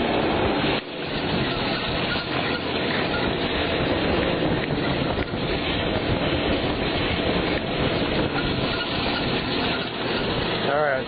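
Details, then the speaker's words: 1992 Jeep Cherokee Limited 4.0, engine warm, fans cycling: harsh, steady screeching serpentine belt squeal that returns when revved; water on the belt quiets it temporarily. Belt worn and slipping; needs a new belt. "okay so here you hear that squeaking noise so give us some juice and gone there's again and it's air is gone"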